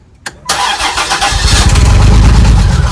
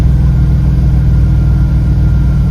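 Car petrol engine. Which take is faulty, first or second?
first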